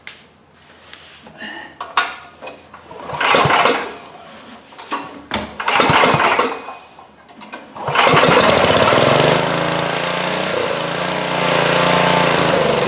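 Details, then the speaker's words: 2002 Coleman Powermate 5500 generator before repair, choke on, fuel valve open: several cranking bursts and brief catches, then a loud, steady run that holds only on choke. Runs only on choke from a clogged carburetor main jet. "well what you can see is it will start and it'll run but it'll only run on choke so we got restricted fuel flow through the carburetor Main Jet and that means we're going to have to take it down"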